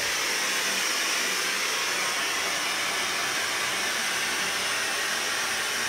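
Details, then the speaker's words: Kohler K9 steam generator that had thrown error 5, tested cold after repair. A steady, even hiss of steam with no sputter, pulsing or gurgle. The water is boiling, nothing is leaking, and it is working normally. "water seems like it's boiling i hear the steam i don't necessarily see anything leaking here i think this is good"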